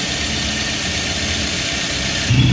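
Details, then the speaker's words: Daihatsu Luxio/Gran Max, after repair of an overheating fault caused by air in the cooling system, idling at normal RPM: steady, smooth low hum with no knocks or misses. The temperature stays normal and the engine runs smoothly. "Saat mesin dalam keadaan idle seperti ini, suhu tetap tidak naik dan mesin juga normal, berjalan halus."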